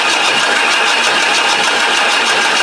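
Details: Ford 7.3 Power Stroke diesel in an Econoline van after rebuild: steady, fast starter cranking with a bright whirring churn that never catches; crank no-start, gauge showing no pressure.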